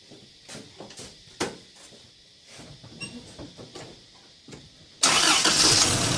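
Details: Car with rough idle after MAF sensor cleaning, suspected dirty throttle body or air leak, after cleaning: few clicks, catches at once and settles to a steady, even idle with no hunting; seems fixed.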